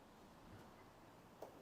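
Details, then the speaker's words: Bosch tumble dryer, no-spin fault, after replacing the motor controller board and cutting zip ties: cycle selected and start pressed, two faint sharp clicks about a third of a second apart as relays pull in normally; drum now running. "and I heard a click over there as well and you can see the drum is running so now it's working"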